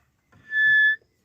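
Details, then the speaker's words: Wartburg front wheel turned by hand: a brief, clean high-pitched squeal from deteriorated front brakes, suspected as the source of an earlier scraping noise. "And the brakes are not looking particularly good and make this noise when you turn it over."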